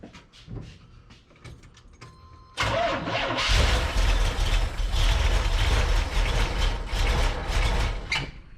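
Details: Corvette with carburetor, on jump pack after dead battery, fuel pressure gauge fitted in line: starter spins engine steadily about six seconds with uneven chug, never runs; crank no start, owner suspects carburetor needs expert look or replacement.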